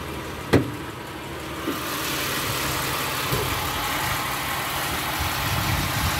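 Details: 1988 Oldsmobile 98 Regency Brougham, 3800 V6, about 83,620 miles; a couple of light clicks, then a smooth, even idle with a soft steady hum and no knocks or misses, sounding healthy.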